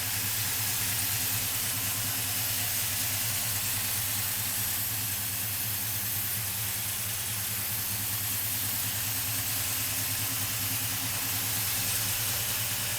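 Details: Restored 1968 Dodge Charger with a 440 big-block V8, large cam and a vacuum pump, about 5,000 miles since restoration: steady loping fast idle with even firing and no knocks or misses. Normal running.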